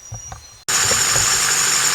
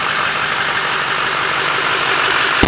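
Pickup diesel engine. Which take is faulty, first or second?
first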